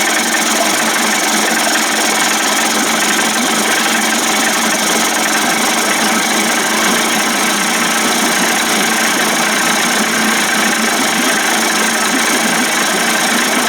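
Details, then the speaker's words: Johnson Tracker 25 hp outboard converted to 30-35 hp with bigger carb and 72D jet, after turning a carb screw in about a quarter turn: steady, even buzzing idle, no misses or surging; sounds pretty good, normal idle. "yeah she sounds pretty good i hate doing this boy look at how much gas that puffy sucks out wow"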